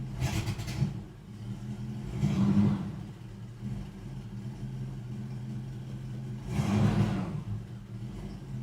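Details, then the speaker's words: 1973 Ford Maverick V8, first start after five years sitting, new starter fitted, carburetor not yet serviced, fuel gauge near empty: idle surges and sags every few seconds, uneven and starved, choking; owner suspects carburetor problems. "I might still have carburetor problems. I've obviously done nothing about that yet, but that was amazing. You hear it's choking"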